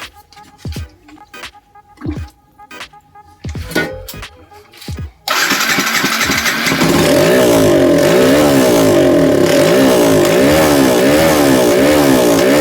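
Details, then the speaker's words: Yamaha SZ-R 150 that wouldn't start after long storage, with a dirty carburetor holding fuel residue and water: after a few cranks it catches and settles into a smooth, quiet, steady idle with no knocks; engine sounds healthy. "muna yun umandar pa naman siya okay pa maganda pa yung tunog ng makina muk tahimik"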